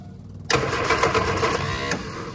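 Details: Innocenti S Spyder fed from a fuel jug because of a clogged tank and line, after bleeding air from the fuel system: short burst of fast, even starter chatter without catching; extended cranking, no start.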